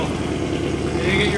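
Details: Mercedes C63 AMG M156 V8 whose engine was assembled only hours earlier. Deep, even burble with a steady beat and no knocks or misses; a healthy, smooth idle.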